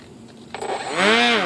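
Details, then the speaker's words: Brushless motor of an F-22 profile RC plane, rewired with heat-shrunk connections: it spools up into a clean whine that rises and eases off smoothly with no rattle or stutter; normal run. "motor's working. And there you have it, guys."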